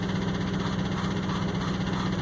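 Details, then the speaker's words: 2004 Ford F-150 crew cab 4x4 at idle: steady idle with repeating uneven stumble, one cylinder dropping out, wailing suction at shutoff; suspected vacuum leak, possibly coil. "then when it shut off you just hear that that wailing noise again or it was sucking air so right there's got to be a pretty good sized vacuum leak"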